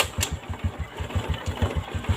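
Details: Honda Revo Fit motorcycle after replacing loose cam chain that damaged the block: even, regular idle thump about five beats a second, no top-end ticking or rattle; smooth again, normal idle.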